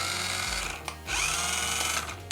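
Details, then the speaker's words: Toy RC Porsche 911 test-driven after its broken gears were replaced with new ones: steady high-pitched whir from the small motor and gears, no clicking or grinding, with music behind; sounds much better than before; normal gearbox running. "That sounds so much better than before."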